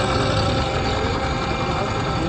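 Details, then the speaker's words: Yamaha R15 V4 motorcycle, seven months old, idling in neutral: steady idle with even rough mechanical chatter over exhaust, no clear rhythm; abnormal engine noise, owner says cause unknown, dealer not fixed. "આ પહેલા ગેરમાં હજી ઉભા રહે એમાં neutral કરીને તમને ખાલી એન્જિનનો અવાજ સમજાવું. જોઈ શકો આ ગાડીમાં અવાજ ખાલી એકવાર એન્જિન પાસે ન્યુટ્રલ કરી"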